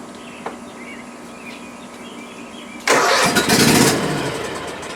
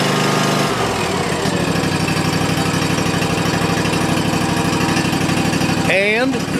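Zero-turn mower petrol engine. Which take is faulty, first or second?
first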